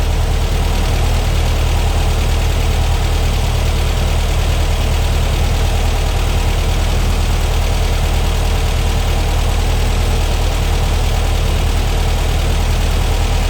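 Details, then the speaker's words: New Powerhaus 2110cc air-cooled VW engine after first 20 minutes of running, before valve adjustment and carburetor sync: smooth low flat-four drone with faint valve tick on one side; normal running. "first 20 minutes is done everything sounds good we're going to adjust the valves i hear a little bit on that side and that's expected on any motor"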